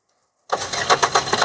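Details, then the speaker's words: 2015 Maruti Suzuki Swift Dzire VDi diesel, 84,000 km, first owner: diesel fires on first crank into even clattery idle, no starting noise; clean, smooth normal start. "Single self లో start అవుతుంది starting shop కూడా ఎక్కడా లేదండి చాలా neat అంటే neat start అవుతుంది engine sound అయితే చాలా స్మూత్ ఉంది"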